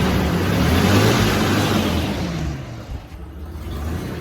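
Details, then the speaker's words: 1994 Ford Ranger after new clutch kit and flywheel, running again after resetting a tripped inertia switch, throttle cable broken: engine revs up strongly then settles to steady even idle, no misses or knocks; normal running. "She runs, guys. She runs."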